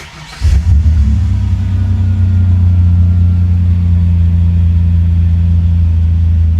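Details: 1993 Ford Ranger 4.0 V6 with Flowmaster exhaust, started after replacing the ignition lock cylinder: catches instantly and settles into a deep, steady, even rumble with no misses or knocks; starts healthy.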